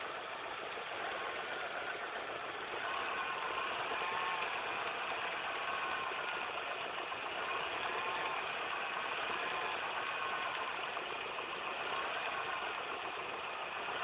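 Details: Engine idling after all belts, the timing belt and the tensioner were replaced: busy rattly chatter about four per second over a hiss, an unusual noise of unclear cause.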